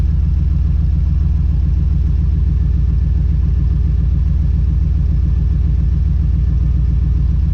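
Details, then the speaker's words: 1982 Chevrolet S10 with V8, after rebuilt exhaust (welded cats, added mufflers, cutouts), on jack stands: low, even burbling idle, steady pulse about 3.5 beats per second; quietest it has been. Normal idle. "Well, I do declare that is as quiet as this truck has ever been since I've had it."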